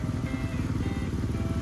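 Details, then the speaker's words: Jeep Wrangler JK after getting stuck in a deep mud hole: a low, lumpy idle with an uneven thumping knock, fine at normal driving speed but rough at low idle. Owner suspects water got in somewhere; oil on the dipstick is not milky. "you can hear it knocking now. Mm. So, might be water somewhere it's not supposed to."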